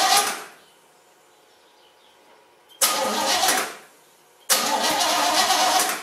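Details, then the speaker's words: Basket-case GMC after the plug-wire spark fix and a new carburetor gasket: two short bursts, each catching for about a second before dying. The owner blames bad gas for it not staying running. Engine starts then stalls. "that sounds better um all right it started and it kind of ran it didn't make a lot of noise bad gas won't let us stay running"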